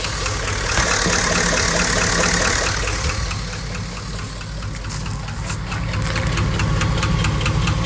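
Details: 2005 Chevy Silverado V8 at idle: sharp, regular knock about three per second over the rumble. Owner unsure whether it is rod knock, lifter tick or piston slap; undiagnosed.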